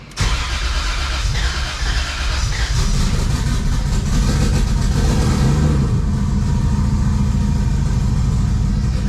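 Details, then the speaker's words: BMW E46 M3 with swapped junkyard 2JZ non-VVTi, sketchily hand-machined build, first start on open downpipe: brief crank, catches at once, settles into loud steady idle, no smoke; idle may need adjusting, healthy start. "hell yeah probably going to have to change the idle a little bit started right up there's like no smoke either surprised maybe just got to warm up a little"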